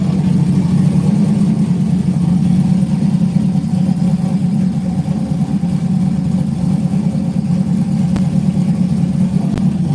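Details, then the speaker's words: Boosted LS engine with Texas Speed heads, custom cam and internals, air-to-water intercooler, newly fitted 220-amp alternator and redone battery cables: deep, steady, even idle with no knocks, ticks or whine. Normal idle. "sounds good yeah she's been happy man"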